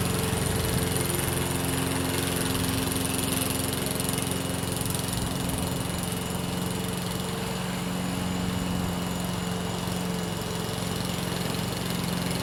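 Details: Free Craftsman lawn mower, previously taken apart and reassembled: smooth, even drone holding steady speed while cutting grass, no sputter or hunting; declared fixed.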